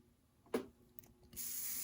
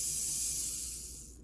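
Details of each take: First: Newly rewound Athearn Jet 400 HO-scale motor on first power-up: rough, thin high-pitched buzz with current draw very high. The armature windings were soldered slightly out of order on the commutator, which turning the magnet confirmed; resoldering is needed. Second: Athearn Jet 400 HO-scale motor after rewinding, on 12 volts: high even whirring hiss, spins up fast and runs smooth before cutting off; good speed, more torque than before though less than a modern can motor; healthy motor.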